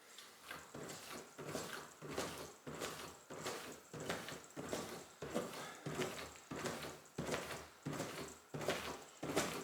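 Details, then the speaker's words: Mini trampoline (rebounder) after lubricating the spring attachments to frame and mat with Ballistol oil: steady soft bouncing thumps, about 88 a minute, virtually silent, no squeak or creak from the springs. "I have some coins in my pocket so I they make a lot of noise but this is so much quieter it makes virtually no noise"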